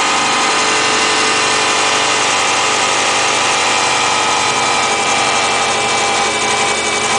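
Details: 2008 Subaru Impreza Outback Sport, 52k+ miles, cold start: bright, busy rattly chatter over the idle repeating about four times a second; odd noise, cause unclear, otherwise runs fine.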